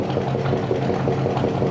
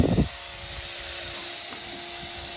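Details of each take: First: 1965 Chevy pickup V8, just revived: smooth even low burble with no misses or knocks at idle, getting quieter as it runs; one exhaust pipe stays cold, all eight cylinders uncertain. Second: 1965 Chevy pickup built from parts, running: steady sharp hiss with spits of steam under the hood over a quiet engine, seemingly from the thermostat housing; coolant steam leak.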